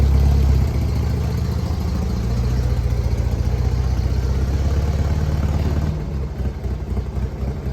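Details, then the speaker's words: 1967 Volkswagen Beetle engine after repair (new motor mounts, oil cooler O-rings, fixed exhaust stud, suspected rod knock); smooth, even note rising and settling cleanly with throttle, no knock or tapping; issue resolved, engine healthy. "Everything seems to be fine with the car. Everything seems to be all right with the motor. I believe our issue is resolved."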